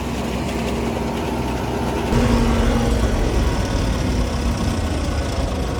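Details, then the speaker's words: Farm combine idling after harvest with a steady low drone and a faint, irregular rattle underneath; the owner cannot find the source, has run it this way for 3 years with no problems or fire, and is living with it. "It's always done it. I can't find the source of it to stop it, so I just kind of have to deal with it. After 3 years of running this machine like that, it's never caught on fire."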